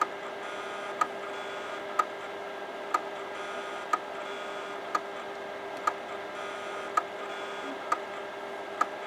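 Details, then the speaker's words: Imation LS-120 SuperDisk drive that can't read a floppy: light sharp clicks about once a second, heads endlessly recalibrating and never settling to read; owner suspects damaged or extremely dirty heads. "Yeah, the drive heads must be damaged in this one, or they're extremely dirty. That's the only other reason it could be trying to calibrate so much."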